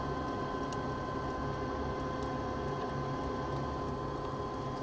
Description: this was a peculiar find because the condensate pressure switch was making intermittent contact, so it wasn't enough to throw a fault on the board but you can hear the switch ticking so it's pretty apparent with the issue was.